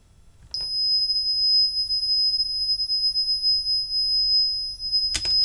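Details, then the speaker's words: Meta reverse parking sensor frame powered from 12 volts on the bench, not fitted to a car: single continuous high-pitched tone for about five seconds without pulsing instead of the expected beep-beep; constant beeping, cause unclear. "I would have liked it to sort of do a bit more than just constantly beep."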